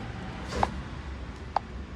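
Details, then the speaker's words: Hyundai i10 automatic at idle after swapping in a replacement ECU. It had misfired with code P0265, and the faulty ECU was the cause. Now it gives a steady, even rumble with no misfire, the malfunction light is off and there are no codes. "तो हमारी माल function की light चली गई और गाड़ी missing भी नहीं कर रही है।"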